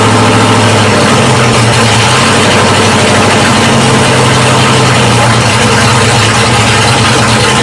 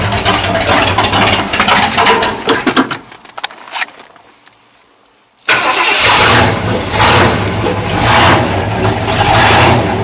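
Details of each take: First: 1979 Ford F-series dentside truck V8 with newly installed Holley carburetor, floats and choke adjusted: steady, even idle with smooth low rumble, no misses or stumbles; runs much better than before. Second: 1979 Ford dentside truck with a newly installed carburetor, just started and not yet warm: it fires, stumbles, dies, then restarts into a heavy, loping idle. Float set too high is flooding it, running rich at idle.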